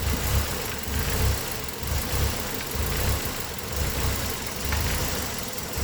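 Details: Engine with code P0400: idle surges and dips about once a second in an uneven lope, with vacuum around 11 and no change from the vacuum-leak tests. The EGR valve was found mechanically stuck open, undetected by its lift sensor.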